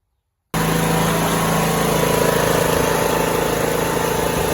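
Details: Troy-Bilt Bronco 42-inch riding mower, 19 hp Briggs & Stratton with hydrostatic transmission, running about 2 minutes after an oil change: an even, steady, throaty drone with no knocks or misses.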